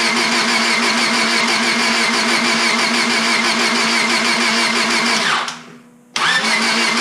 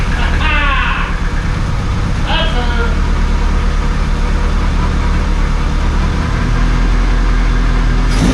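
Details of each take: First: Honda Civic Si after engine rebuild, with valve cover, new battery and distributor installed: steady, even cranking at about 3.5 turns a second that never catches, then the starter stops; no spark, igniter module reading only about 0.2 V while cranking. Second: Rebuilt Honda Civic Si, first start after fitting a new AutoZone ignition coil to cure no spark (no coolant in yet): starts instantly, steady low idle slightly rough at first, then settles into an even, smooth beat; normal idle.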